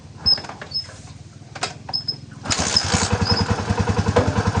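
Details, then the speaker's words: Barako 175 single-cylinder, previously hard starting needing many kicks, starts on one kick after timing was corrected and settles into an even idle of about two and a half pulses a second; runs fine. "Oh perfect mga bro. Oh napakaganda ng menor."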